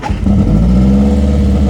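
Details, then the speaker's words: Nissan 240 with a fresh SR20 swap on its first start, on a jump from a very dead battery after priming the fuel pump. A short crank, then it starts right up into a steady, even idle; a fuel leak at the filter was found afterward. "no way started right up no way"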